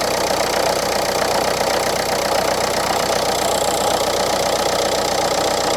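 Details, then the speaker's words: Renault Clio IV 1.5 dCi losing engine oil, check-engine light with a fuel injection warning, on an injector tester (one injector slightly weaker): an uneven, clattery idle at about four beats a second; no oil on the dipstick, hence the loud running. "Gdzie ma olej? >> Dobra, nie ma oleju. >> Nie ma. No le jest do wymiany ewidentnie. >> Dlatego głośno chodzi."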